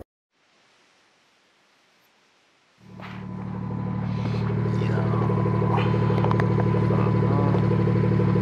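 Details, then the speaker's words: BMW F30 340i after fixing the exhaust valve rattle by fitting a new clip: quiet, then the engine fires and settles into a smooth, even idle with no metallic rattle from the exhaust; fix sounds good. "all right i'd say that that is a good fix and um even though it's not quite loud never seem to come outside"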